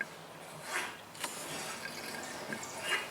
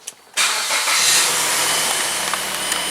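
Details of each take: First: Mazda power steering being bled by turning the wheel left to right for 5–10 minutes. Quiet wet pops and drips come from the reservoir as trapped air escapes and the fluid drops. This fixes power steering whine. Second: Mazda, after bleeding air from the power steering system: engine catches abruptly and settles into a steady hiss-heavy idle, no whine from the steering pump. Normal start, whine fixed.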